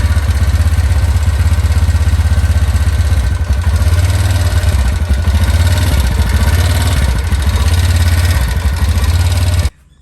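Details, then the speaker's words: TVS Ntorq scooter, idling: fast, uneven tick-tick rattle of about three a second over the engine, a common Ntorq issue; cause is a loose main clutch nut. "ඒක ඇහෙනවා මේ එන්ටෝක් TVS එන්ටෝක් කියන කමන් ඉෂුව එක. ඒ කියන්නේ කට ගාලා සද්දයක් යනවා. අපි ඒක දැන් හදාගන්නයි යන්නේ."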